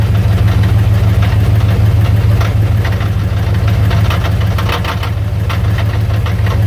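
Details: 1999 Dodge Ram 1500 with 5.9 V8 and 4-speed automatic, idling in park (only happens in park): a fast, fairly even rattle of about three per second underneath. Owner suspects flex plate or torque converter; cause unknown.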